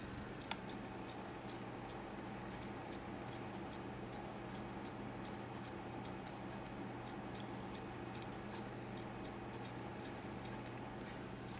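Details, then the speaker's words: Compaq Presario V6000 laptop running Windows 7 at boot: faint sharp ticks about twice a second over a quiet hum, hard drive clicking that doesn't sound healthy; it eventually boots but slowly, cause unconfirmed. "does not sound very healthy to me it does eventually boot up"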